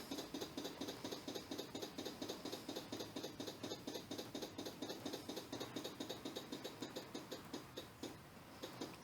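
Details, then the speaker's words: SU electric primer fuel pump, ignition on in neutral before starting: even light ticking about five or six a second, easing off as the float bowl fills with fuel; normal priming. "this is the um little primer fuel pump here the su fuel pump so you'll hear that running first and you might see the fuel come up there"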